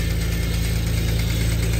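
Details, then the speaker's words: Nissan Skyline GT-R R34 V-Spec II: starts to a steady idle with a rapid, regular low knock under the exhaust note; owner reports a slight rod knock, louder when revved higher, and the engine is due for a full rebuild. "she starts and you can hear why I need a rebuild this"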